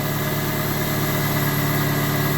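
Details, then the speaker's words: Dodge Stratus idling smoothly after alternator and belt work: battery reconnected, alternator charging per multimeter, nothing abnormal heard; only an expected vacuum-leak hiss from a deliberately disconnected line. "Everything sounds normal. I don't hear anything, crazy."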